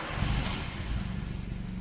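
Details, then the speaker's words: Nissan Primera P10 1.6L GA16DS carbureted 97 hp engine, started warm without pressing the accelerator: low, even rumble with smooth steady beat, no misses; runs normally when hot, its stalling problem occurring only at cold start. "you see that the engine has started normally when the engine is little hot you know that's not cold not cold start"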